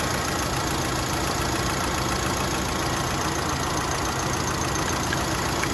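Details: Mitsubishi Lancer with factory CNG, after repair for shaking and near-stalling at idle when braking on gas (gas injectors cleaned, one faulty injector): steady, even idle with no stumble or shake; normal idle.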